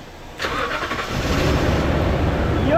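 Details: 2016 Toyota Sequoia V8 that cranked without starting, its plugs fuel-soaked and its petrol mixed with diesel, run from an improvised external fuel pump with fresh gasoline: brief crank, then it catches and settles into a rising, even idle.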